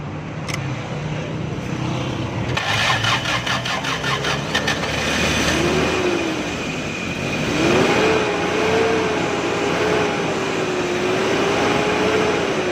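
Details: Toyota pickup/Datsun on CNG with a starting problem traced to a gas adjustment issue, too little gas reaching the engine: engine catches after cranking and revs up and down smoothly, pitch following the throttle with no misses; runs normally after adjustment.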